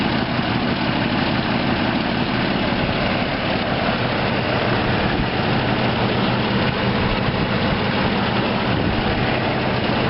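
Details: 1993 Jeep Grand Cherokee after exhaust manifold replacement: steady, even idle with a coarse breathy exhaust note and no sharp ticking or puffing; the engine sounds healthy at rest.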